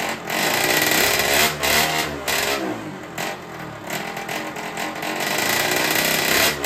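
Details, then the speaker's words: Derbi 50cc two-stroke with freshly fitted 70cc cylinder, 24 carburettor; raspy buzz that surges and dips irregularly; owner suspects the carburettor, not confirmed: rough running. "bon au moins ça démarre après on peut pas dire que le moteur il tourne correctement parce que pour moi là il tourne comme une patate"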